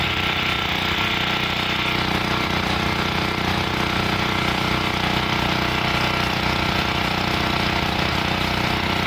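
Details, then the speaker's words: Common gasoline generator warming up after a cold start on choke: steady run with a slightly uneven pulsing beat near four per second; sputtering means it is over-choked and the choke should be taken off another notch. "you'll start to hear the engine sputter a little bit that's an indication that you need to take some more"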